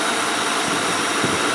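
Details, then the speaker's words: 2003 Mercury Grand Marquis 4.6 V8, new electric radiator cooling fan assembly just installed, running at idle: soft steady air rush barely above idle, no ticking or rubbing, fan working normally. "there it is it's running you can barely hear it"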